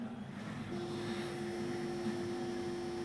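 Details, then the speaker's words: Amplifier board with no input, power applied: a steady low hum with a whiny overtone over a faint hiss. Swapping the 56K feedback resistor for 47K only slightly reduced the noise; the feedback gain is still too high. "இன்னுமே வந்து அந்த feedback வந்து உங்களுக்கு அதிகமாக இருக்கிறனால உங்களுக்கு அந்த noise வந்து ஆட்டோமேட்டிக்காக வந்து ஜென்ரேட் ஆகுது."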